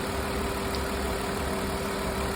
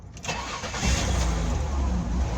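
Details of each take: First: 2002 Ford Escape after vacuum leak repair for low erratic idle and lean condition: smooth, even petrol idle, no hiss, idle speed now at desired RPM though fuel trims still slightly off; normal idle. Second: 2002 Ford Escape with CEL, low erratic idle and lean condition; on startup rpm shot to about 2500, then surged and hunted before coming down, with a steady miss felt. Idle air control valve suspected; finding: vacuum leak.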